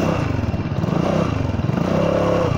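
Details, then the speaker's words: Honda Forza 300 scooter riding at steady speed: a faint steady howl that rises briefly under the engine drone. Riders suspect the final drive and say its gear oil needs changing; the clutch is also suspected. Cause unconfirmed. "ตัวนี้แม่งหอนแบบยอดเลยนะอะไรเฟืองท้ายอ่ะเฮ้ยน้ำมันเฟืองท้ายมันต้องเปลี่ยน"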